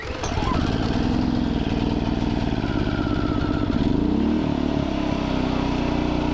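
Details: New 2200 W inverter generator, fresh oil and gas, first start on choke: catches and settles into an even hum, speed shifting smoothly as the inverter adjusts; runs cleanly without misses.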